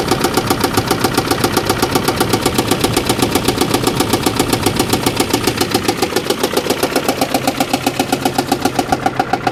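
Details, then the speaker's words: Car on a single-mom help project, restarted days later after disconnecting parts, idling: sharp regular ticking chuff just under four per second, lumpy, not really a knock; owner first thinks it sounds like O2 missing, then smells coolant and suspects a blown head gasket. "it's an interesting noise it's not really like a a knock it's I don't know almost sounds like there's O2 missing or something"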